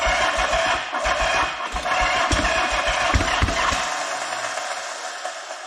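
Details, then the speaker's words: 1979 Yamaha XS750S with rebuilt engine, new timing chain, rewired and carburetors fixed, first start attempt: steady starter chugging about three to four turns a second, then tail-off, no catch; cranking but not firing. "Thinking about it. Alright, looks like we need a bit of start your bastard."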